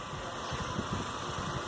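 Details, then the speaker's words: Diesel engine in a workshop running rough after running out of fuel: lumpy, uneven low thump that never settles into a steady beat; air in the fuel system is suspected, not confirmed. "aí o carro também está funcionando meio quadrado"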